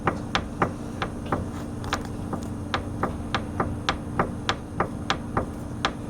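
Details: 2015 Arctic Cat Wildcat Sport, about 120 miles: sharp, uneven knocks about three a second as the front wheel is rocked, from worn front a-arm bushings moving on their bolts; heard when slowing or turning over bumps.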